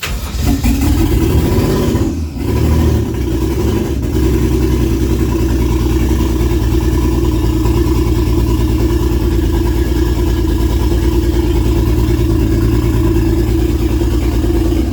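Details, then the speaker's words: Toyota 1JZ swapped into a Nova, early first-start run, oil temp about 160–170°F: engine drones at a steady high rev and won't hold idle unless floored; owner suspects the newly replaced, not-yet-set-up TPS, plus plugs possibly fouled by starting fluid. "so it won't hold the idle without being floored and I move the TPS just a little bit because it I had replaced that and I haven't really completely set it up yet"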